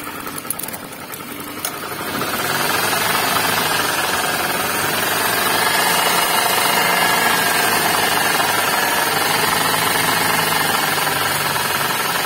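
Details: Suzuki Ignis with manual transmission, engine under the open bonnet: a rough, gravelly growl with a fast rattle of about three per second that rises with revs. It is indicated at the alternator/water pump/V-belt tensioner bearing, and the tensioner bearing is replaced.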